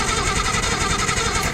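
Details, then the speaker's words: 1972 Datsun 240Z, long sitting, new starter, no fuel yet, turned over by the key: quick starter churning with a lumpy, galloping beat; owner suspects it is only from sitting so long. "it's got a little gallop in it, but I think it's just cuz it's been sitting for so long."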